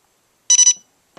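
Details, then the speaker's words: Etek 2 paintball marker with newly installed OLED Virtue board, powered down by the third button press: three quick high-pitched beeps then faint clicks; normal shut-down signal. "shut that bad boy down just like you would any time one time holds one time turns the gun on next time turns the eyes off and third time powers the gun down"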